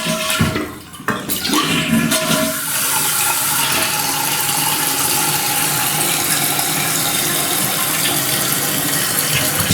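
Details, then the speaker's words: Fluidmaster Universal 400A toilet fill valve after cleaning: loud flush into steady hiss as water keeps running and spraying; valve not shutting off properly, defective, to be replaced. "hear water running on out of here and when the toilet is off but before Oh Springs"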